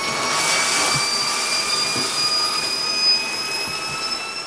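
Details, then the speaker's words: Tub faucet during a home inspection, hot water running: loud, steady high whistle with slightly rising pitch over rushing water, caused by water passing a worn washer inside the faucet; fixable with packing nuts or faucet replacement. "hear that wine and so that that's that as the water passes that washer then it makes that wine it's a component of the inside of that faucet"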